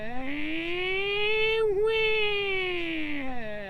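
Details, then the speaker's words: 2011 Ford F150 driving: loud grinding, siren-like howl rising and falling with road speed from the transfer case rear output bearing (Borg Warner 1356), not the IWE or rear end. "has this grinding kind of howling noise on the output of the transfer case."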